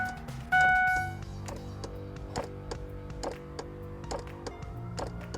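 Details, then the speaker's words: 2002-2010 Ford Explorer, engine off, key on auxiliary, HVAC turned to heat: a rapid click about twice a second behind the dash over the blower hum. The blend door actuator's plastic gears are failing; no heat, only AC. "and then when you turn it back it still does it so minus far gone but if I keep it right there it goes away"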